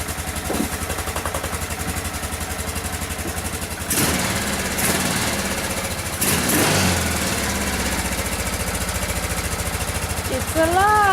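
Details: 1995 Kawasaki Bayou 400, first start in a long time after new oil, oil filter, DPR8EA-9 plug gapped 0.036 in and fresh gas: single cylinder catches and settles into a steady, even putter with throttle blips; running fine.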